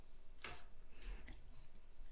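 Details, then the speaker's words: Industrial straight-stitch sewing machine at maximum stitch length (5), turned slowly by handwheel: a few sharp ticks over a low hum as the reverse lever knocks; stops when stitch length is reduced. "tente imaginar pessoal isso sendo feito frequentemente constantemente a máquina girando 5.000 RPM por minuto Isso aqui vai ficar tá fazendo um barulho muito grande"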